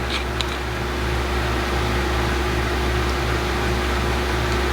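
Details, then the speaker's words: Lenovo ThinkCentre M91p booting Windows 10 with 2 GB RAM: a loud, steady fan rush with a low hum and whine as the cooler fan ramps to full speed. The cause is unclear; perhaps the board doesn't like the fan. "So there it goes again, that fan's just ramping up. I don't know if it just doesn't like the fan."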